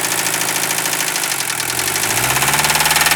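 Old diesel idling with a heavy, rough rhythmic knock that sharpens toward the end; a deep knock, possibly rod, but unproven.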